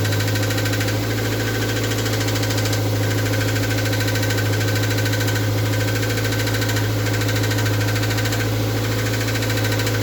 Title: mr2 mk3 engine knocking sound